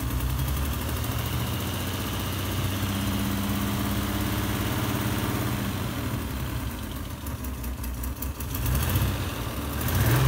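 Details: Alfa Romeo GTV6 with an uneven, lumpy low idle, an unsteady beat and the engine shaking. Rough idle, cause not yet pinned down.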